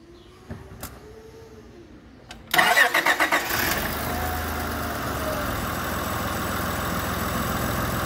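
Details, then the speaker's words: Honda pickup with P0108 MAP sensor code, previously running rough with black soot at the muffler; after refitting the MAP sensor and clearing codes it starts instantly and settles into a steady, even idle with no misses: normal start and idle. "por arte de magia se escucha el motor bien berrón"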